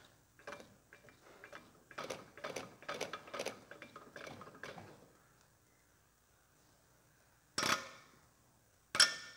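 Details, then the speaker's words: Massey Ferguson 135 Perkins diesel, aftermarket Bareco B16 nozzle on the number two injector on a pop tester; clean spray chirp bursts, holds pressure without leaking; normal injector chirp. "yep exactly the same look that's fine I just I just can't see any problem there I can't see um any problem with it at all"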